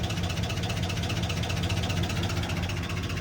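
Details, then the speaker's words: Cheap pickup while driving in 32-degree weather, coolant 195.8, fully warm: steady low drone with odd uneven pulsing chatter only when hot, not when cold; owner thinks it may come from transmission area, source unclear. "There's the engine noise, but it's weird. It wasn't doing this cold. It only did this when it got hot."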